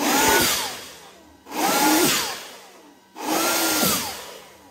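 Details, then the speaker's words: Homemade battery-powered electric turbo being built for a Vario. Three rushing spool-ups, each a rising whistle that peaks and winds down over about 1.5 s. Healthy, making up to about 7 psi; boost and rpm drop when battery voltage is low. "Jadi, setiap kali tegangan rendah, tekanan turbo akan turun karena putaran mesin (RPM) juga akan turun."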